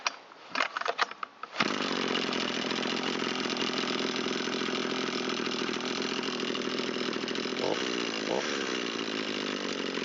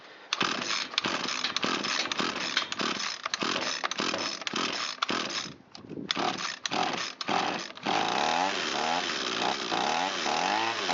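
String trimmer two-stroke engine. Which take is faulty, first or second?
second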